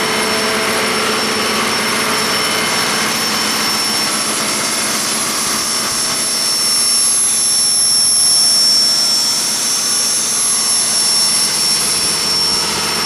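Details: 1959 Caterpillar D337F diesel generator set, ex-hospital, barn-stored 10–12 years, about 959–960 hours, idling unloaded and barely at operating temperature: steady, even roar with a high whistle at constant pitch, no knocks or misses; normal idle.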